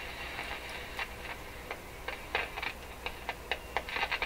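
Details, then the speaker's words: Rogers 11RA651 shortwave tube radio, volume turned right down, only preamp-detector and output tubes in circuit: irregular sharp pops and crackles over faint hiss, a few per second; one particular tube suspected of causing the crackling. "I think we got lots of problems with that particular tube, that one particular tube. I think it's causing a lot of this crackling and stuff."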